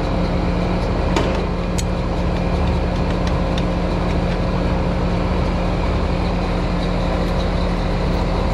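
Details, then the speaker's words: American Standard HVAC system condenser fan motor running: steady droning hum with a rough, gritty undertone that never smooths out; fan motor bearings going out, refrigerant pressures okay. "fan motors going out you can hear the bearings in that fan motor they do not sound good"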